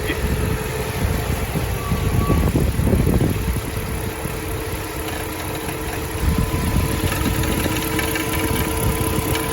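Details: Mercedes M119 V8 warmed up, idling engaged in reverse, with uneven low thumps about four a second under the engine hum; knocking appears only once warm and in reverse, cause being troubleshot.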